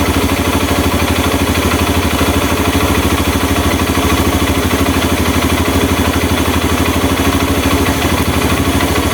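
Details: Honda Mega Pro mono single-cylinder, after an air leak was found and the air screw set to cure hard starting and idle dying: even putt about three beats a second, steady with no hunting or stalling; clean, settled idle.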